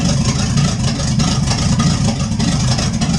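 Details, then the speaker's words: C4 Corvette after a carburetor swap with headers, throttle fully closed: low, lumpy V8 idle that wavers and stumbles, barely running on its own; timing was adjusted, and it still smells too rich. "just the idle, but that's all the way off. That's all the way off the gas. It's running on her own, barely, but"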